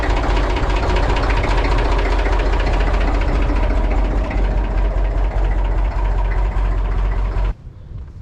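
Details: Massey Ferguson 35 diesel tractor in neutral after fitting a new neutral safety switch for intermittent no-crank no-start: cranks and runs with steady, even clatter and a firm low thump, no stumbles or misses, then shuts off cleanly.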